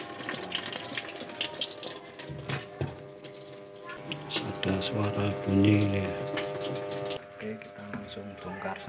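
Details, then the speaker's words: Polytron single-tub washing machine, water inlet valve letting water in too slowly: water trickles in under a steady low hum from the valve; the inlet valve is likely dirty and clogged. "ini kita memperbaiki mesin cuci dengan kerusakan infrahiler nya disini keluar terlalu pelan ya"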